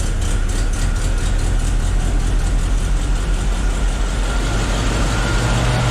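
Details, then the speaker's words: Willys Jeep engine just restarted after repairs, cold and choked, in neutral: slightly uneven, lumpy idle over a steady low drone; rough idle needing adjustment, alternator not charging. "Ok. We've got some work to do on the idle there."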